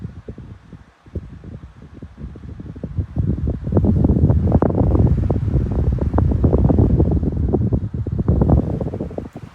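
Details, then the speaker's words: SMC 16-inch pedestal fan, found discarded, on medium: strong rushing air over a soft, even hum with no ticking or rubbing; runs cleanly. "medium yeah this is definitely more power and finally high high feels like a tank though not going to lie"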